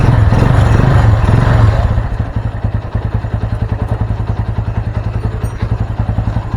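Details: Honda Mega Pro Primus single with a new regulator/rectifier, started with the battery disconnected so the CDI is fed from the regulator: revving settles into a steady, even thump of about three beats a second with no misses; healthy idle.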